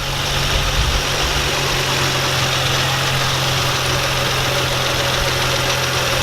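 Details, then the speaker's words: Nissan 350Z after replacing shredded A/C belt and serpentine belt and retensioning; steady even idle with constant low hum, no squeal or chirp; squeak gone and A/C works. Normal idle. "so squeaky noise is gone AC works everything seems to be good"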